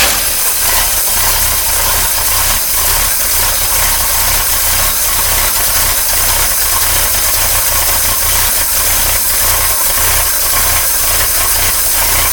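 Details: 1953 Oldsmobile Rocket Super 88 V8 barn find, after fixing random shutting off and hesitation, running on an electric fuel pump fed from a gravity tank: steady busy, slightly uneven clatter over hissy background, no stalling; normal running.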